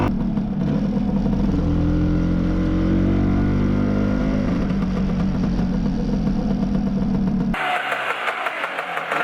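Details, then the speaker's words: Lambretta LI150 Special with RT 198 long-stroke kit, PWK carb, BGM manifold, hot after first test ride: two-stroke burbles unevenly, revs sag and drop off instead of holding tickover; running a little rich. "it's running a little bit rich at the moment so it's refusing to maintain the tick over now it's got hot"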